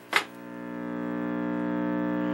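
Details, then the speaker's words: Admiral 17T1 television during restoration, volume fully down and audio amp input grounded: click then steady low buzzing hum unaffected by grounding, so not via IF or audio stages; mains hum in audio, cause suspected, not confirmed. "and there's a hum now I've grounded the input to the audio amp that's this wire here here's the volume control here's the pickoff from the center wiper I can ground all that out has no effect on the hum whatsoever"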